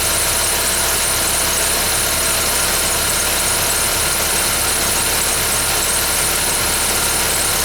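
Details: 2011 Ford Fiesta with only 10,000 km, cold start: a loud, steady high-pitched squeal sits unwavering over the idling engine; the cause is not pinned down.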